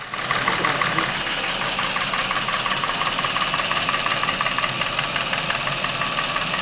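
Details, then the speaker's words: Chevrolet Epica, over 200,000 km, sudden top-end noise, oil with Dimexide added at 100 g per litre, engine at operating temperature: light fast ticking about three per second over idle from hydraulic lifters and camshaft; engine ran quieter, Dimexide probably having cleared clogged oil passages. "димексид наверное развил засоренные участки масло начало циркулировать должным образом двигатель начал работать тише"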